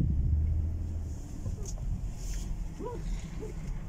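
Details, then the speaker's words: 2016 Ford Expedition rear limited-slip differential, after oil change with friction modifier added to cure tire-grabbing chatter on turns: slow full-lock turn gives only a soft low rumble, no chatter, clunk or shudder; differential now quiet. "ما شاء الله تبارك الله، ها اخذ اللفة كاملة ولا عاد فيه اي صوت."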